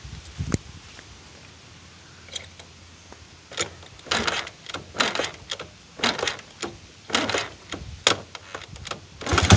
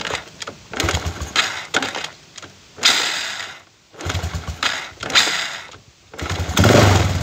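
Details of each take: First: Chinese 125cc kick-start engine with iron cylinder, testing one of several 5-wire AC CDIs: about a dozen kicks, catches near nine seconds and settles into a steady idle; starts easily on this CDI, though its timing later measures very retarded. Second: Chinese 125cc iron-cylinder motorcycle kick-started on an AC CDI with ignition advance: several kicks each give a short cough that dies, and the kickstarter kicks back; hard starting from over-advanced timing.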